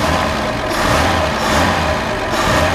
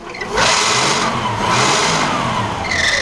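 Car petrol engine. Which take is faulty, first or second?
second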